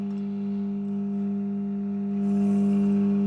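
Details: Webster Chicago Model 7 wire recorder, 70 years old, warming up: constant low buzzing mains hum with a higher overtone, unchanging as it warms; faint, fading magic-eye level indicator suggests a failed capacitor, hum cause not confirmed.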